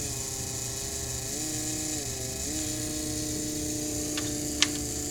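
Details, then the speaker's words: DeLorean in-tank fuel pump, removed but still connected, run with car off via shorted RPM relay: pinching the pickup hose reproduces the highway failure sound, a steady whine that sags and recovers; clogged pickup from rubber pieces breaking down in the reservoir; unit to be replaced. "I've been able to reproduce the sound that was exhibited during the failure several times on the Highway by pinching the pickup hose right here"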